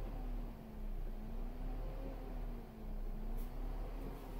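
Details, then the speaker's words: Great Wall V200, electric radiator (thermo) fan switched on through DS150E scan tool from laptop: faint steady motor hum with slightly wavering pitch over low engine rumble; fan runs on command, normal. "I'll turn the fan on this is the this is the thermo Fein okay if you can hear that"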